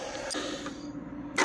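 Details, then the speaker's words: 1979 Lister ST2 twin diesel being revived after injector bleeding. An uneven, lopey thump with only every other beat firing; one side is squirting fuel and the other likely needs more bleeding. Running on one cylinder. "I think only one cylinder is alive so far but yeah it's definitely alive"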